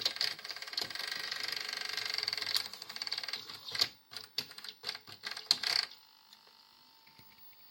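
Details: Philips VR400 Turbodrive VCR after repair of a broken gear and head cleaner; busy mechanical whirring and ticking from the tape mechanism for several seconds, then clicks as it settles; works, just somewhat noisy.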